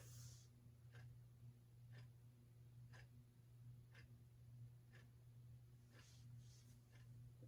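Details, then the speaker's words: Monterey Fan Company 52-inch Monterey ceiling fan, antique brass, on low speed: quiet steady hum with a slight running hum and soft tick about once a second; owner guesses a small 153x15 motor; normal low-speed running. "it does have a little bit of a running hump and i'm guessing it probably just has a little 153 by 15 motor pond nothing too crazy low speed is pretty standard"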